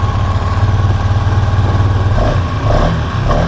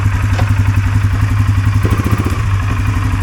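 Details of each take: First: 2023 Polaris Sportsman 570 ATV with high idle that makes shifting hard: idle hangs steady around 2000 rpm instead of about 1200, throttle cable held slightly open. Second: 2023 Polaris Sportsman 570 ATV after repair of high idle near 2000 rpm that made shifting hard, throttle position sensor removed and refitted: steady, even idle at about 1350–1400 rpm, no surging, doesn't run away in gear; fixed.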